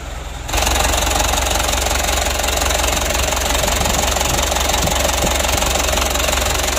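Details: Mitsubishi Canter diesel re-overhauled after only 5 months (oil burning, cracked piston), after rebuild, idle raised while the injection pump is being adjusted: steady idle clatter with an uneven shake of about three pulses per second, still vibrating; rough idle, cause not confirmed.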